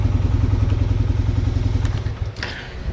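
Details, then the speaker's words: 2000-ish Suzuki LTF500F Quadrunner 500 single after capping the carburetor vacuum port to the faulty vacuum petcock, which cured backfiring and not coming off idle: steady even idle about three to four beats a second, then clean shutdown. "so i pulled that off and capped it all of the not coming off idle and backfiring issues were solved just with that"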